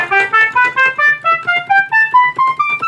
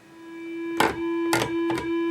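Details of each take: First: Rare one-year Moog Minitmoog synthesizer after filter calibration, playing presets: clean stepped scale climbing evenly with each pitch landing true; oscillators now track properly across the keyboard. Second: Moog Minitmoog synthesizer at power-on: single steady buzzy tone with a few clicks, no oscillators sounding, only the filter self-oscillating; suspected bad harness connections at the filter.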